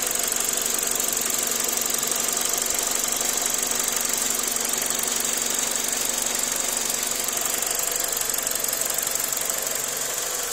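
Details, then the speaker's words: 2000 Ford Focus at idle with vibration: light, fairly even tapping or knocking about three times a second somewhere in the engine; MAF sensor cleaned, cause unknown. "I don't know if you can hear his pass almost sounds like a tapping or a little knocking down in there somewhere this one maybe you can hear it"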